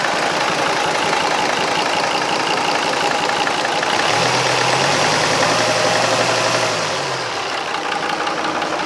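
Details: Restored marinised Gardner 5LW diesel on test with a temporary starter: slow, steady idle with an even beat, no misfires or knocks; sweet-running normal idle.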